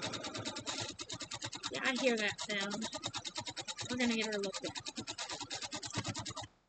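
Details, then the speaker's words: Sewing machine stitching quilt block: fast even stitching clatter with a light loose rattle on each stroke; cause unknown, owner guesses the bobbin rattling around. "if you know what that sound is let me know maybe it's just the bobbin rattling around in there could be that i guess i don't know what it is"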